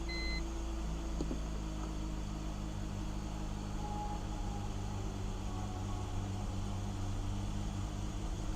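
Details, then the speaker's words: BMW E46 330i after the idle air control valve was checked: the idle is much better but still sags now and then, as if it had a vacuum leak, hunting near stalling. Rough idle. "yeah much better it's still running like it's got a vacuum leak but it's not but dropping off one to choke choke and die out"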